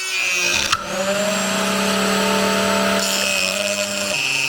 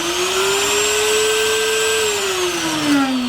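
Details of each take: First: Newly bought router cutting wood: a high motor whine with a steady overtone that sags and wavers under load, a noise it did not make at first; caused by a loose collet. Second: Router running with the bearing off after the loose collar was retightened: a smooth, even high whine with no rattle, running normally now. The earlier noise came from the loose collar.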